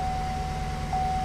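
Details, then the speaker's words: 2008 Chevy Suburban 5.3 V8, flashing check engine light, code P0304 cylinder 4 misfire: uneven lumpy idle with irregular stumble and steady whine, hesitates under throttle, unburnt fuel smell; cylinder dead with no compression. "got a blinking engine eyes on it run very rough po3 0-4 which is a cylinder number for its cylinder detect misfire see how rough it is"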